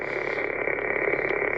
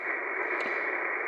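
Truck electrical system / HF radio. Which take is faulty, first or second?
first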